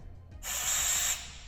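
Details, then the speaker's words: Firefighter SCBA air pack, red purge button pressed after power-on: sharp steady hiss of air for about three quarters of a second, then clean cutoff; purge valve flowing normally. "okay so what this little red button does is it'll blow some air out of here to make sure that this works okay"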